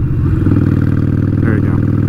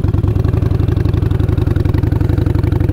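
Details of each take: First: Motorcycle riding at about 40 mph, after downshifting from fifth, where it was lugging: deep, even V-twin thump pulling steadily without labouring; normal engine note under load in the right gear. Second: Motorcycle held in fifth gear at low revs, revs dipping: slow heavy uneven strained chuffing about four pulses a second with no rise in revs; engine lugging in too high a gear, downshift needed.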